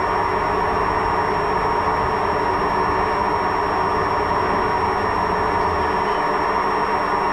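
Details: Washing machine while the drum spins: constant loud rumbling roar with no let-up; worn drum bearing.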